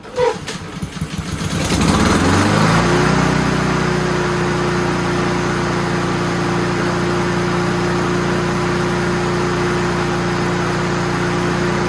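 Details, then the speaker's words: Honda GCV160 push mower after service (oil change, new air cleaner, PCV breather hose reconnected): pull-start catches within two seconds and settles straight into a steady, even run with no misses or knocks; healthy. "And that is what success sounds like, people."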